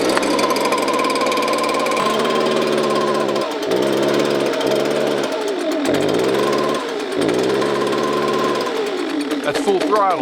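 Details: Leaf blower at full throttle sags and surges at about 25% power instead of screaming. Most likely cause is a clogged spark arrestor screen in the exhaust.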